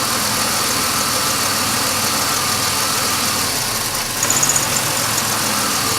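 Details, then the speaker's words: 2005 Chevy Impala 3.4L with intermittent no-start or start-and-stall: during a wiggle test of the camshaft position sensor harness the idle dips and wobbles; intermittent stall from faulty cam sensor harness. "Wiegel test is always good to do in cars and that is the problem with this car"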